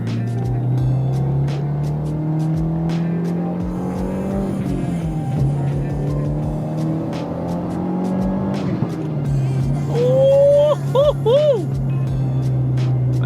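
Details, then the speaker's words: Subaru WRX test drive after bracing and misfire fix (misfires previously on track): engine note climbs and falls smoothly, clean pull without stumbles or pops under music; normal acceleration, no misfire. "And this thing is finally running well. This is awesome. Really good. My first impression of driving this car after with all the upgrades, the car is running A1."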